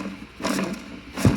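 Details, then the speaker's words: Porsche 911 (air-cooled) old clutch throw-out bearing spun by hand off the car: two short gritty, growling whirs from worn bearings; replaced with a new, quiet one during the clutch job. "so my throw out bearing on my old clutch was bad now this is what annoys me you can hear it like the bearings in there that ain't happy at all right"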